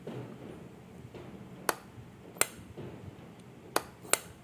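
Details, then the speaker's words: Top-load washing machine pressure sensor (water-level switch) bench-tested by blowing air through a small petrol pipe: four crisp, sharp clicks at irregular moments over quiet air hiss as pressure is applied; normal switch operation. "మీకు ఈ sound వినిపిస్తూ ఉండొచ్చు. నేను pressure ఇచ్చినప్పుడు టక్ అనే sound వస్తుంది."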